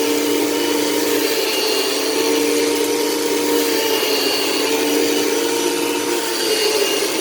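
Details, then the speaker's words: 1989 bagless vacuum cleaner in vacuum mode with finicky power switch: steady harsh rushing roar with fixed mid-pitched whine, motor or fan sounds rough; cause not confirmed. "so it doesn't sound the best keep that in mind but um what are you going to expect it's a 1989 machine"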